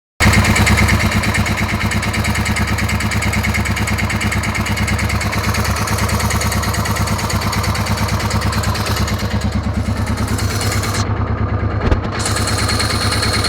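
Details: DR 650 engine noise: a single-cylinder thumps at idle at about three beats a second, with an uneven clatter over it through light revs; the source is unknown.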